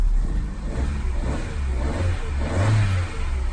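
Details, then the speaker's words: Copart-bought car with 147,000 miles, in neutral: a deep smooth idle rises into a clean rev and settles back with no knocks or rattles; the engine sounds healthy, a normal rev. "Sounds really nice considering it's on 147,000 miles."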